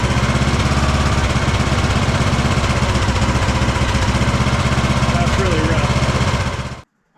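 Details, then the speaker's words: Craftsman DLT3000 lawn tractor single-cylinder engine after new coil and fuel filter, valves set, carb cleaned twice: uneven, stumbling idle about four beats a second, fine at full throttle; owner suspects carburetor, possibly air leak or head gasket. "kind of running all over the place right now. The idle is really bad. I'm happy with full throttle. But listen to this idle."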